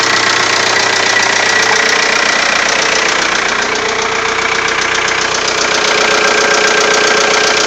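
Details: Diesel TDI engine idling just after cylinder head replacement: sharp, regular ticking about two and a half times a second; owner suspects a valve, top-end tick source unconfirmed.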